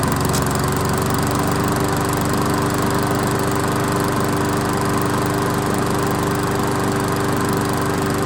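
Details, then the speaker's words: Old 22-inch Weedeater walk-behind mower after seasonal tune-up and blade refit, brief run burning off oil: smooth, even single-cylinder running with no misses or knocks; sounds good. "all right well we didn't run it for that long but it sounds good"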